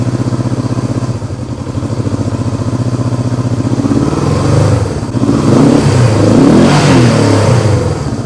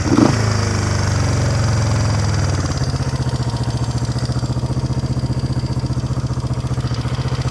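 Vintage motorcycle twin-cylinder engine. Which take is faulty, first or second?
first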